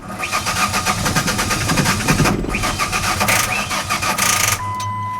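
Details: 2001 Ford Ranger 4-cylinder: quick, slightly uneven cranking that never fires, scan tool shows no RPM; crank position sensor had been installed the wrong way, and after reinstalling it cranks oddly, as if out of timing.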